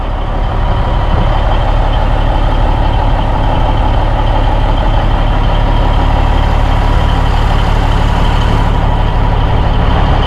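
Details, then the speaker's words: 1987 Peterbilt 362 cabover, 3406B 425 CAT diesel, sat 10-15 years, just started on ether: deep, even diesel idle with a steady low rumble and no misses or knocks; healthy, 60 psi oil pressure. "There we go. She fired up, guys. Damn, that was easy. First hit, she fired up."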